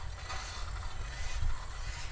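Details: Nissan Juke brake caliper, wheel turned by hand: soft repeating scrape and ticking each turn as the pad drags lightly on the disc; squeal when braking and coasting, noisy when driving; suspected caliper needing service, unconfirmed.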